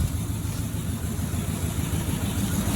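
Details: Range Rover 3.6 TDV8 diesel after turbocharger replacement, warming up with the exhaust still disconnected and intercooler oil burning off: steady, even idle with no knocks and a faint turbo whistle; engine sounds healthy.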